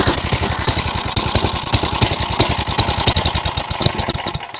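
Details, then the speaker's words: Side-shaft small engine for a go-kart, cut fuel line repaired, sat for an unknown time: started on choke, it fires lumpy and uneven with irregular pops and dropouts before dying out; owner believes the dirty carb needs cleaning. "I turn the choke off, it'll run normal. Alright, I believe the carb's gonna need cleaned."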